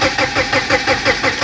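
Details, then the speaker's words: 1991 BMW 318i E30 with open headers, not driven in years: runs rough with a pulsing beat about six times a second and a grinding whir; the starter stays engaged after start, suspected faulty ignition switch. "When I go to start the car, the ignition is staying on, and it's actually causing a rough idle because it's still trying to engage and fire while the engine is already running."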